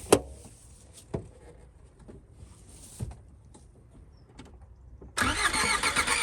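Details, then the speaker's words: Long-dormant Skoda Favorit (GLXi or CD Edition project), fuel poured down the injection unit: scattered clicks, then brief rough firing before it runs out of fuel and cuts out, nothing to keep it running. Engine catches briefly then dies. "so we've tried a bit of fuel down the injection unit there and it tries to catch on it really dries and then it runs out of fuel and it doesn't have anything to keep going"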